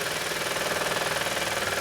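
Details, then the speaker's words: 2016 Hyundai i20 (GB/IB) that broke down: fast, even, harsh rattling pulse like a woodpecker over the running engine when selecting first or third gear, a clutch vibration. Pressure plate suspected; gearbox not yet opened. "so it's a bit like a woodpecker that's in there where you try to get first gear or third gear"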